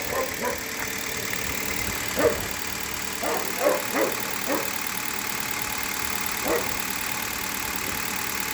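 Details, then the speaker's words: Hyundai Solaris cold idle after a cold start, after about 1000 km on green 5W30 oil that owner says reduced noises: quiet, even idle with a few faint light ticks and no deep knock. Owner satisfied; healthy. "вот такая работа двигателя меня полностью устраивает"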